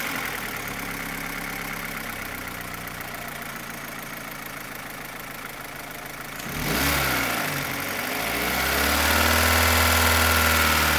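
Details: 2015 Opel Astra H Z16XEP petrol engine: sharp, regular tappet-like tick about four per second at idle, quickening with revs; stops when cylinders 3 and 4 are cut, tappets and injectors ruled out, non-original camshafts suspected; cause not found.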